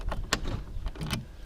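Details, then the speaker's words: 1986 Saab 900 Turbo Coupe central locking: short bursts of solenoid clunks as all locks cycle, rear included via actuator; earlier failed attempt possibly because a door was open. "Oh, it did work. There you go. Hear that? All the locks are working."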